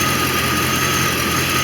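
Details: 1989 Corvette roadster V8 warming up to open the 190° thermostat and purge a coolant air bubble, after replacing the failed distributor ignition module (no spark) and fitting Bosch III injectors: steady, even idle, constant hum, no misses or knocks; normal idle.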